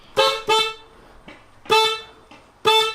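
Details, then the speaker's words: 2007 Toyota Corolla fitted with junkyard dual horns from a 2004 Toyota Camry, both connected: four short honks of one thin, reedy single pitch with no second tone; only one horn of the dual set was actually working. "Okay, well, it turns out that only one of them was actually working"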